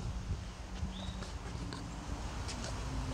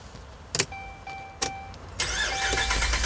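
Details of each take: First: 2011 Ram 1500 with crank-no-start, no fuel pressure, and two fuel pumps already replaced: with the pump manually commanded on, a few quiet clicks are heard, then the engine catches and keeps running steadily. Normal start and idle. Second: 2011 Ram 1500 crank-no-start, two fuel pumps already replaced; starter spins engine at steady cranking rhythm but it never fires; no fuel pressure because pump not running, likely no power supply to it.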